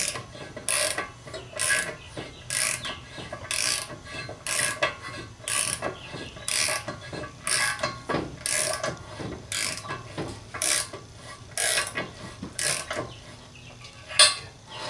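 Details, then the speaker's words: Car on new Advan RGII wheels, rolling: light scraping swish about once a second with wheel rotation, not tire rubbing; surface rust on the brake rotors. "and that sound is not rubbing that's just my rusty brake calipers my rusty rotors"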